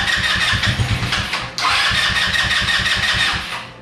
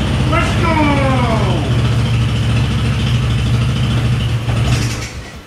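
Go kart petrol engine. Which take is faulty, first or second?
first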